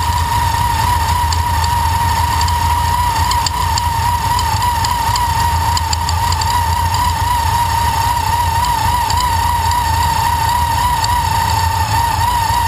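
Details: TVS2300 supercharger: a steady high whine wavers, with irregular sharp ticks and knocks; owner suspects a failing bearing, not confirmed.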